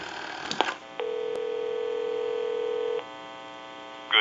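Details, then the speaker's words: Country Line wood wall telephone on checkout with analyzer: short touch-tone bursts then clean steady dial tone with no crackle or hum; line and dialing work normally. "I'll let it go one more time and we'll give you some D tone we want to walk through our numbers if you watch the analyzer"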